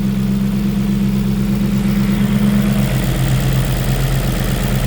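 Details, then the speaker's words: V8-swapped BMW E46 idling cold with no coolant in it, smoking as leftover oil burns off; the owner avoids revving it because it's cold with no water. A steady, even low rumble with no knocks, ticks or whine: normal cold idle. "No weird noises. I want to rev it just to clear some smoke out, but at the same time it's cold and has no water in it."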